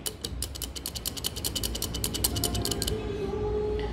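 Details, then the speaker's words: Toyota Hilux 2003 3.0 naturally aspirated, rear differential during overhaul, turned by hand: rough, gritty run of clicks about three a second, then eases off; worn, loose, growling pinion bearings, all four to be replaced. "e é isso aí moçada o rolamento tudo folgado roncando"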